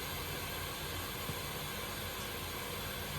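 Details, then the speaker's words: 1931 Viking Model B twin walk-behind tractor during a cylinder leak test, engine not running: steady airy hiss of pressurised air escaping out the exhaust past exhaust valves; exhaust valve leak contributing to low compression. "oh that's coming out the exhaust well there's another clue the exhaust valves leaking too D yep sure is"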